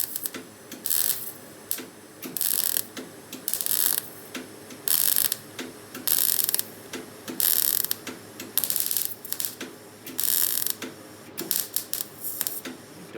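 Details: MIG welder with the power setting far too low: stop-start bursts of ragged crackling and popping instead of a steady sizzle, giving no weld penetration.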